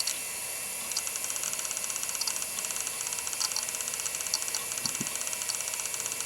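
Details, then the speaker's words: Quantum Daytona SCSI hard drive in an old Apple Mac, copying backup data. A steady high hiss with quick, irregular seek ticking; the drive is working normally. "oh that's amazing i'm so happy this is working man it's not just working the thing sings"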